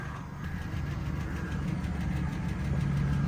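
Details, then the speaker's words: Chevy LS V8 truck idling rough after a jump start, with light, fairly fast lifter ticking over the deep rumble and rod knock also noted; engine to be replaced. "I mean, you can hear it sounds like crap. You hear that rod knock? And them lifters ticking,"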